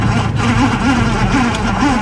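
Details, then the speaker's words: 1974 Chevy El Camino 327 V8 while driving. A wavering, buzzing squeal rises and falls about twice a second over engine and road noise, coming from the badly worn speedometer cable, which still works. "okay that noise is the speedometer the speedometer is all kinds of uh tore up it works but the speedometer is making horrible horrible noises"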